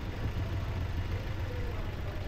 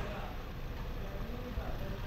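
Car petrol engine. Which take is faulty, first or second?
first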